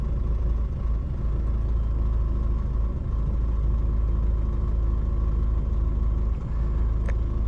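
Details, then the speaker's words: Ford Focus Mk2 after a no-crank immobiliser fault (PATS 16), with the CAN bus checked at about 60 ohms (67 measured). The ignition shows mileage, the immobiliser light no longer flashes, and the engine starts and idles normally with a steady, even rumble. "Włączamy zapłon. pojawia nam się przebieg. Kontrolka Immobilisera nie miga. Samochód pali normalnie."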